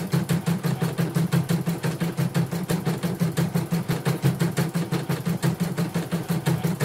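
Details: Portable embroidery machine from Sekayu, South Sumatra, after mainboard replacement, LCD and touchscreen rework and tension set to 1. Even stitching rhythm near three beats a second over a smooth low hum, nothing irregular. Healthy, normal running.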